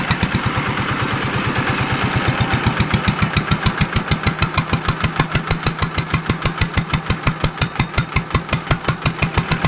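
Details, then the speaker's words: Yanmar TF115 LM single-cylinder diesel, brought in for hard cold starting, after replacing the injection pump plunger (ลูกปั้ม), inner bearing not yet done: even steady idle with good compression, no knock or misfire. "เดินเบาได้ปกติครับมีแรงดันขึ้นดีครับ"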